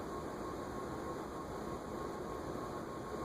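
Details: Vintage 1983 Japan-made KDK Royalaire 52-inch ceiling fan D52YU, 16-pole motor on solid-state speed control, at high speed: soft even whoosh and low hum, no ticks or rubs; noise at lower settings disappears on high.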